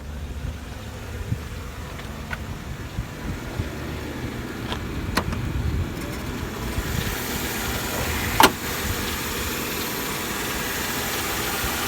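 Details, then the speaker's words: 2004 Mercedes-Benz E320 W211, 3.2 V6, 208k miles, no warning lights: low, even idle with a steady rumble and no knocks or misses, outdoors; runs really well. "Runs really well. That's Mercedes 3.2 V6."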